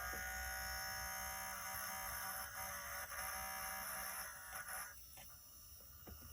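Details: c1960 Midland solid-state portable reel-to-reel tape recorder on batteries, motor started after the spindle was cleaned of crud: steady, even hum with a clean high whine and no scraping; the drive motor runs freely and normally.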